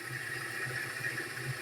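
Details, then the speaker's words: Auction car with over 200,000 miles, listed with internal engine noise and possibly low on oil: steady low idle hum with an even mid-pitch drone and no sharp knocks standing out; reported internal engine noise, nothing obvious at idle. "uh internal engine noise please don't be major hopefully like a pulley let's hear it"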